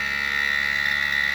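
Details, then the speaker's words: 2008+ Harley ABS front brake bleed via ITM HD1 utility, front lever squeezed and held, battery on trickle charge: steady high electric whine with a low hum underneath; normal ABS pump operation. "I'm squeezing the front brake lever, and we're going to hear some noise."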